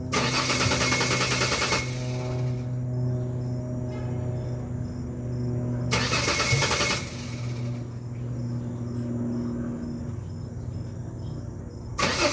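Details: 2001 Ford Ranger XLT 4.0 V6, morning start: the starter churns steadily for several seconds with no fire. This happens only in the morning; fuel, ignition parts and crank/cam sensors were replaced; fuel pressure and compression were checked.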